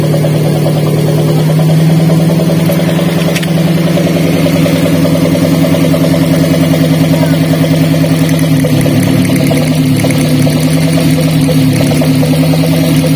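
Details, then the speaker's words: Daihatsu Gran Max idling after swapping coils: the misfire moves from cylinder 4 to cylinder 3, confirming the coil from cylinder 4 is faulty. Uneven, lumpy idle with a stumbling exhaust beat, a misfire from a dead ignition coil. "ketika kami tukar untuk posisi Konya ternyata untuk penyakitnya itu pindah yang tadinya untuk posisi silinder nomor 4 yang bermasalah kemudian ketika kami tukar posisi koilnya untuk yang bermasalah itu pindah ke silinder nomor tiga"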